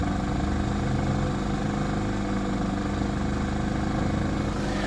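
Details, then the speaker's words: Inverter generator with hard-start kit, heard from a distance with the exhaust pointed away, economy mode at reduced rpm: steady, even low drone with no hunting or knocks; not very loud; normal running. "so you can see it's not very loud at all and this is the best part on economy mode it gets even quieter"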